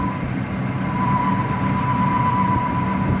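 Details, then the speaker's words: 2001 Ford F-250 5.4L two-valve V8 with about 270k miles, at startup idle: a steady high screeching, yowling noise over the rumble, intermittent, from a worn idler pulley bearing. "what will happen from time to time is you'll start hearing a screeching yowling noise and there it is right there"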